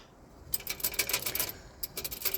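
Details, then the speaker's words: Austin Allegro on ramps, heard from underneath after a test drive: light, tinny metallic clatter in quick bursts as a loose handbrake linkage pivot is shaken by hand; cable has little slack, a squeak also heard. "That'll be it. That's exactly what I can hear. Um, basically it's just a pivot that's loose."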